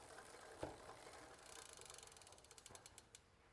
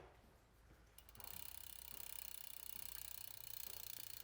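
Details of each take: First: Intense 951 gravel bike rear wheel before caliper alignment: freehub pawls tick as the wheel slows quickly under grinding and a steady rub from a misaligned caliper on the disc rotor, an excessive amount of rub. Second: Intense 951 gravel bike rear wheel after caliper realignment and retorque to 6–8 Nm: the wheel spins freely with only quiet, even cassette/freehub clicking and no brake rub.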